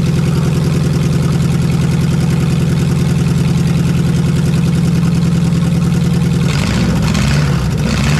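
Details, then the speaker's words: Lexus 1UZFE V8, barn find first run after 6 years standing, ATF in cylinders, out of the Jeep KJ: steady even idle, low smooth burble, no knocks or misses; healthy. "so we've got this v8 running and in the next video we will be putting it back into this jeep"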